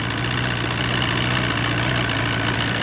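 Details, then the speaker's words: Force 120 (Mercury) 1999 two-stroke outboard off a Bayliner, warmed up, silencers removed: steady, even idle with a smooth low throb, no knocks or misses; running very well. "что он прогрелся работают очень хорошо"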